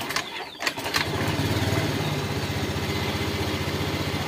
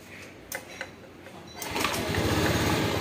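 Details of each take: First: Honda Scoopy ESP fuel-injected scooter, kickstarted after fuel pump fix: catches after a short kick and settles into a steady, even idle of about four beats a second, no misses; previously wouldn't start even after ten kicks. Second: Honda Scoopy ESP fuel-injected scooter, weak/dead battery (borrowed battery fitted), being started by kick: a couple of kicks with no catch, then it fires into a fast, busy idle; hard starting from a clogged fuel pump filter, weak fuel pressure, idle surging.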